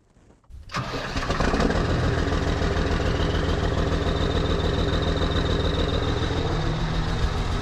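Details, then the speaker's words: New Holland TS115A diesel tractor, fully cold (temp needle at bottom), after injection pump rebuild and timing set: starter cranks briefly, catches at once and settles to smooth even idle clatter without misfire; healthy cold start. "That is a really nice cold start. I'm happy with that. And I'm happy with this tractor and the way it runs."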